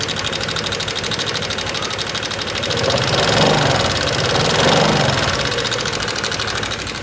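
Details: 2018 Honda Vario 125 FI scooter at idle, checked before any engine disassembly, with the sound heard at the front of the engine: fast, light ticking that keeps pace with the idle. The owner's complaint is a rough, ticking sound, typical of loose valve tappet clearance.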